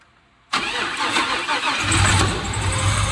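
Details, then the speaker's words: 6.0 V8-swapped Camaro first start; cranks, catches and runs rough with uneven popping, owner unsure why, maybe undone plugs. "Well, it started. So that's a plus. Not sure why she's popping. Might have something to do with a bunch of the plugs being undone."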